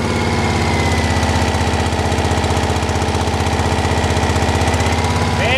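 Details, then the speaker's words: 1985 Saab 900 8-valve petrol, K-Jetronic mechanical injection, manual gearbox, first start after over five years sitting: loud lumpy idle about three beats a second, running on three cylinders; a fuel line was found broken and leaking. "Joo se kävikin kolmella sehän käyut n lähti viiden vuoden jälkeen"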